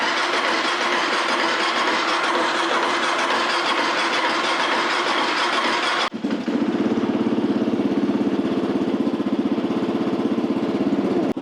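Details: 2008 Kawasaki KLR650 single, first start after sitting unridden since about October, fuel treated with Seafoam before the run: a rushing start, then a steady, even putter at idle with no knocks or misses. Normal idle; charging system reads 13.9 volts running.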